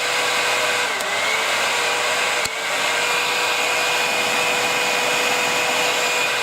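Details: Old Philips HP 4625 portable hair dryer, dusty, first switched on: even, airy whoosh with a faint steady hum, no rattles or speed wobble, blowing hot air. Fan running normally.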